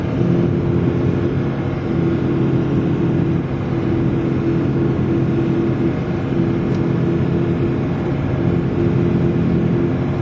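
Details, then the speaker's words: Front-wheel-drive diesel at road speed: constant low droning growl, like tire noise mixed with growling, over road noise, louder turning left, silent at low speed; a bad front wheel bearing. "so that should give you an idea what a bad wheel bearing sounds like"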